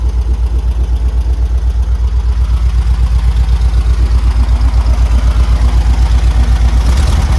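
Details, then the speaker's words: 1972 VW Beetle air-cooled flat-four, just revived after over three years standing: a loping idle with a firm pulse about four times a second, running rough, shaky and tractor-like. The cause is unconfirmed; the owner plans a distributor adjustment. "Oh yeah, he does shake that. Yeah, they're right. Look at him wobble."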